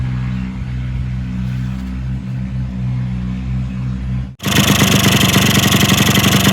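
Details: Yamaha RX100 two-stroke motorcycle after body reshaping and engine reinstallation, before paint: steady, even idle that starts easily, loud music drowns it; engine settled and healthy.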